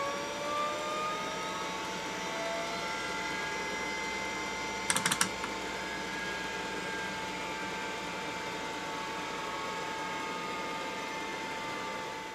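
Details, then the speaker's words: Microscience HH-1060 RLL hard drive on test bench: steady spindle whine then three or four sharp clunks; AutoPark locking solenoid fails to release heads, power-on sequence never completes, drive powers down. "now that noise you heard is the mechanical auto park and that's a system designed and patented by microscience it uses a cam a solenoid and a spring to go and lock the heads in place when the power goes off"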